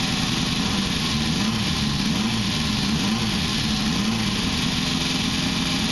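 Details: 1973 Honda CB500K2 cafe racer with 4-into-1 exhaust, barn-stored 25+ years, first start after a rebuild with new seals and gaskets and float bowls reworked because they were not letting fuel in. Steady, even idle with a smooth pulse and no misses; sounds healthy.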